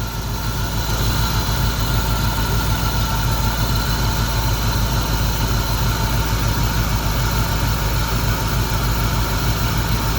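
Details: 1991 Mustang GT V8 after injector rebuild and hose replacement, running better but idling with an uneven, loping beat; one cylinder still not making power, vacuum gauge flutters, dead cylinder.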